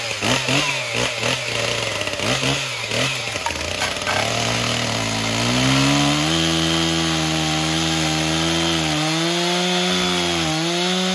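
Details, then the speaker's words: Stihl MS361 chainsaw, cold day on choke, after a scored piston was replaced with a Meteor piston and Caber rings: stutters, catches, then runs steady, idling and revving out. "I don't think this chain is as sharp as it should be, but as you can see, it's running, idling, revving out. Seems to be doing well under load as well."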